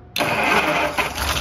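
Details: Unrestored 1935 Pierce-Arrow V12 engine on its first start in over 30 years; quick catch and it bursts straight into a busy, even run; normal start after long storage.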